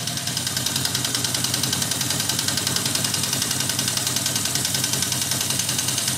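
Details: 1979 Yamaha XS1100 Special, about 11,000 miles, at idle: sharp metallic clacking knock in time with firing, fades at higher speed; owner suspects valve or a dead cylinder, not rod knock; cause unconfirmed.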